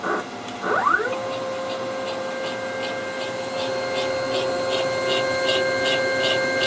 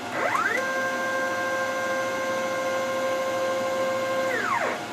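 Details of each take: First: Home-built CNC machine during axis moves, rails and ball screws aligned within about five thousandths: steady mid-pitched motor whine with a sharp tick about four times a second; some whip seen, cause unclear; abnormal noise. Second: DIY CNC machine Z-axis moving down and up: steady multi-tone whine ramping up, holding about four seconds, then ramping down; the odd noise heard earlier no longer present, smooth axis travel.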